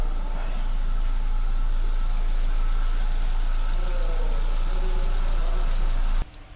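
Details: Fiat Stilo 1.8 8v after cooling system bleed and service: low, steady idle with an even beat, no misses, knocks or rattles until it cuts off; engine sounds healthy.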